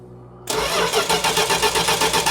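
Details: 1969 Plymouth Road Runner parked for decades: starter spins engine at an even six or seven beats a second but never catches after battery and orange ignition box plug were disconnected as a test; crank no-start, cause suspected, not confirmed.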